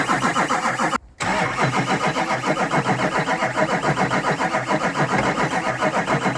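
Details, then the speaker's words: Rebuilt Duramax diesel truck with injectors and rails swapped, fuel being pumped to purge air up to the injectors. Steady starter cranking at about 3.5 turns a second with no firing; it won't start until the air is purged. "all right so we switched the injectors and the rails and all that stuff so the everything from the that pump that we're pumping all the way up to the injectors it's got to get fuel in it before it's going to crank"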